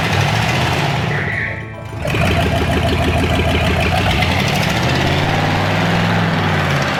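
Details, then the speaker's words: Dodge truck with original 30,000 miles, after putting oil in the transmission: it catches after a short crank and settles into a steady, even, throbbing idle with no knocks. Normal start and idle. "She runs like a freaking jewel."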